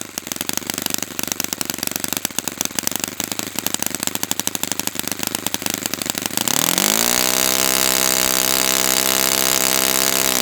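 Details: Brand-new Saito FA-100T twin on a test stand, first break-in run after choke priming at full throttle with glow igniters: catches after a few seconds of cranking, settles into a steady, slightly burbly drone; rich, oily exhaust, not lean, healthy.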